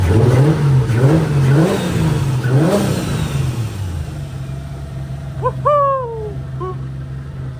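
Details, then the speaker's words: 2JZ-swapped BMW E46 M3 after compression and leakdown tests passed and repair, first start back from the dead: several crisp revs rising and falling freely, then steady even idle, no leaks yet; healthy revving. "so far no leaks so oh man dude it is great hearing this let's let's listen to it a little bit more"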